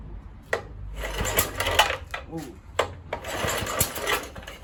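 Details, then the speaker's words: Kohler K101 engine (Atco mower) after cleaning its Walbro carburettor and clearing a fuel-line airlock, started on choke, then choke off: uneven bursts of firing with short gaps as it catches; it's firing. "Too much. Choke off. It's firing."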